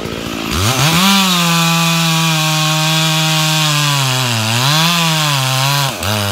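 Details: Stock MS461 with eBay ported muffler, well worn, over a year of cutting; hand round-filed chain used a week, no touch-ups; felling cut in big northeastern red oak, camera a ways back. Steady high buzz with brief dips under load, no chatter: sharp chain cutting normally.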